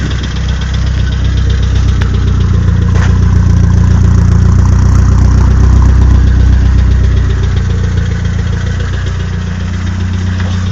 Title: sr20det knocking sound 2